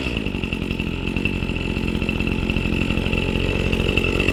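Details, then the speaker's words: New Husqvarna 525 RX trimmer warming up after a primed cold start on choke, choke pushed down: a steady, high, even two-stroke buzz with no surging or sputter. Normal warm-up running. "then you just let it warm up, and that's pretty much it. So very simple. I'm very impressed with how fast it started."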